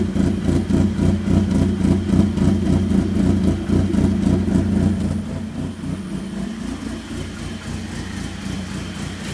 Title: Rough Idle